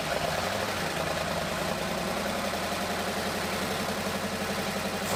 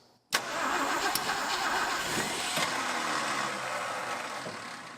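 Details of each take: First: Abandoned 1962 Ford Thunderbird V8 running for the first time in over 20 years: a steady, even idle on all cylinders with timing spot on, plus light valve-train clatter common after sitting; oil pump priming if it persists. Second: 1962 Ford Thunderbird Sports Roadster convertible, first start attempt in over 20 years: starter cranks briefly, then the drive spins free and the engine stops turning over, the Bendix kicking out too early; starter drive disengaging early.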